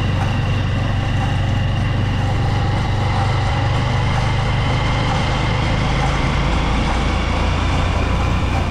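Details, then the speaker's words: Honda Supremo motorcycle running, heard near the chain: a loud steady droning rumble with a rough metallic growl from worn chain and sprockets. The sprocket set was replaced. "mga idol papakingan natin yung ingay dito sa may bandang kadena"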